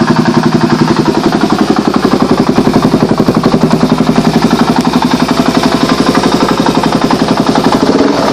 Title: Drz400sm engine knocking issue